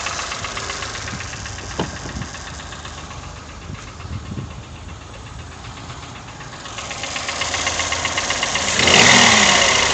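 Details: Toyota 1KR-FE engine with new timing chain, tensioner and guide: sharp even knock about four times a second, rising with revs; cause unknown; engine knock.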